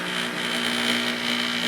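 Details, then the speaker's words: Sears Kenmore front-load washer, model 417.40142000, running: steady buzzing hum from the drain pump vibrating on its rubber mount; pressing on the pump stops it, and tightening the screws didn't help; fixed with a bent steel bracket. "It's a Sears Kenmore washer. Anyway, it's uh making this awful noise when it runs and I found out that [Music] this little pump right here. If I put a little pressure on it, it stops. It vibrates."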